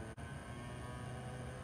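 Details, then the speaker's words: Eight-track motor in an old stereo fed about 10 volts from a variac, smoke coming out but still working: steady low hum with faint higher whine from the motor labouring on overvoltage. "10 volts smoke is starting to come out again no way it's still working it's still working it's just making hum"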